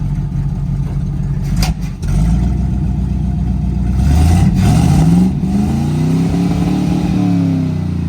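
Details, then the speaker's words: 1968/69 Chevrolet C50 truck with Quadrajet carburetor, sitting since 1981, first run: big V8 revs up and settles back smoothly, firing evenly with no knock or miss; runs well, though oil is fuel-fouled and overfull. "What an absolute beauty. And it runs like a hop,"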